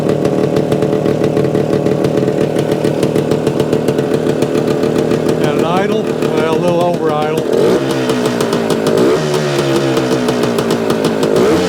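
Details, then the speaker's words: 1975 Suzuki TS-250 two-stroke, running after stator rewire and coil ground repair, exact cause unsure. Steady, buzzy idle held slightly fast, no misses or knocks; idles fine. "yeah I think that's good I think we can live with that"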